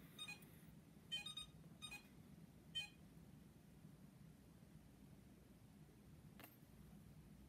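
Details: iLife V5 robot vacuum, a couple of days old, on its charger: a few short high chirping beeps then quiet; it charges and cleans fine but beeps, cause unknown.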